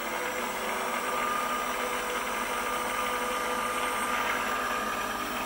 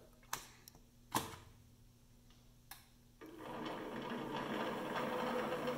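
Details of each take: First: Precision Matthews PM-728V-T mill spindle on the high-speed pulleys, at over 3,000 rpm up to max speed: smooth, even, quiet whir with no knocks or roughness; normal high-speed running, spindle bearings healthy. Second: PM-728V-T mill spindle on high-speed pulleys, about 833–1600 rpm, quill still functional: clicks, then spin-up with a fast light rattle. This is resonance from clearance between the spindle and drive pulley spline; otherwise fairly quiet.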